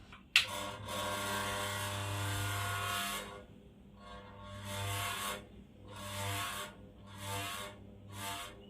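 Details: Ceiling fan still noisy after its bearings were replaced, with the shaft fine and the blades swapped: a rasping hum swells and fades about once a second over the fan's drone; a faulty capacitor is causing the noise.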